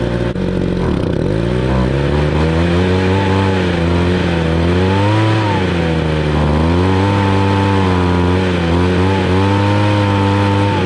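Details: 2013 Ryobi 26cc two-stroke gas engine, warm: a steady buzz that picks up cleanly as the throttle is blipped, with an even run and no misses or stumbles; runs healthy.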